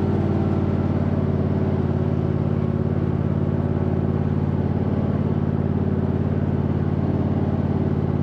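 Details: 2007 MTD/White Outdoors 54-inch zero-turn mower, rebuilt deck with new spindle bearings, covers off: steady even hum from engine and deck, no grinding, rumble or bearing whine, super quiet; normal deck running.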